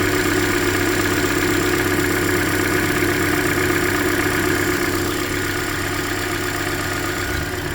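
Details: 2013 Hyundai Elantra, about 100,992 km, near its yearly oil change, idling: light, steady tick about four per second, traced by stethoscope to cylinder 3's middle bolt; owner suspects deeper than lifters, possibly piston slap, unconfirmed.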